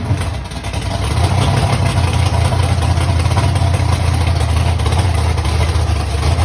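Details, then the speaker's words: Ford Mustang V8 first fired after months off following a fire, oil pump prime screw broken; lumpy, irregular rumble that sounds like it isn't hitting on all cylinders, cause not confirmed. A higher idle was suggested. "kind of sounded like it wasn't hitting on all cylinders."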